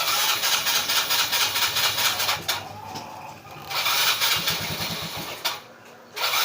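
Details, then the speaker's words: Yamaha Mio Sporty scooter: repeated cranking bursts catch briefly and die before it finally fires; hard starting from a vacuum leak at the carburetor hose. "under naman siya pero kailangan singaw ."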